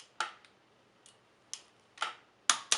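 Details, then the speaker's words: Shimano Dura-Ace BB-R9100 Italian-threaded bottom bracket replacement on a Pinarello: a few crisp clicks over a quiet background as the torque wrench breaks over at set torque while tightening the bolts. "right you should click right away oops wasn't in there"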